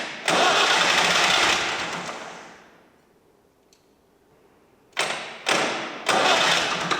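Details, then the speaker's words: Stone-cold engine started after removing a faulty relay and its wiring, with the heaters given 30 seconds to warm up first. A second of hard cranking, then three short starter bursts, and it is not yet clearly catching. "It's time to try and start it, try and fire it up and see how it goes. But it is dead stone cold. So let's see what happens."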